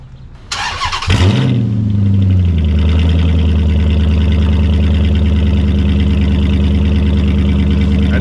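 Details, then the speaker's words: 2006 Dodge Magnum with mufflers removed, only factory manifolds and cats, before suitcase replacement: starts, then settles into a loud, deep, throbbing idle with a raspy edge; loud open exhaust, which the owner calls pretty gross. "just give you guys an idea of what this thing sounds like with no exhaust see that's pretty bad it's pretty gross that's just factory manifolds and cats right now"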